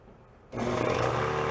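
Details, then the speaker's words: Older salvaged factory air compressor, first run after rod knock repair with spare parts, expected to shut off around 120 psi: motor kicks on with a clean, even hum and steady pump drone, no knocking or rattle; sounds pretty good, normal running. "Sounds pretty good."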